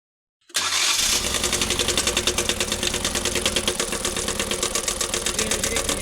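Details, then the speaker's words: Maruti Eco engine that started making a bad noise some time after the vehicle rolled over, checked at a Maruti authorized workshop: rough idle with heavy, uneven knocking; block found cracked on overhaul. "पलटने के बाद कुछ time बाद इसमें engine से एक गंदा सांड आने लगा। कस्टमर इस गाड़ी को Maruti ऑथोराइज आनी हरपुर में लेके आए। वहां पर मैं इस गाड़ी को चेक करने गया देखा कि इंजन से बहुत ही गंदा साउंड आ रहा था।"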